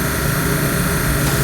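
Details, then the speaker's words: 65-year-old 1954 Mayflower oil furnace burner, motor needed replacing, impeller cleaned, new motor and coupling to be ordered: even, steady motor hum with a light whirr, no scraping or wobble; the burner runs smoothly. "all right let's see what happens she sounds so pretty we'll mark like all that sounds beautiful so I'm gonna order a new motor and a coupling and that should fix it for good we've seen that 65 year old beast run like a champ unbelievable"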